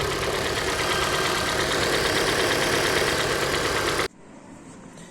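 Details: Hyundai G4NA engine at idle until shut off: hollow regular knock in time with the engine; teardown found scoring in cylinder 3, piston slap; engine to be resleeved in a major overhaul.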